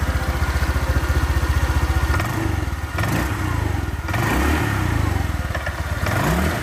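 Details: Honda Vario 125 LED scooter after a top-end rebuild with new piston and rings, following hard starting and frequent oil loss. Even idle, then clean revs with no knocking; exhaust no longer smokes and pulling power is normal.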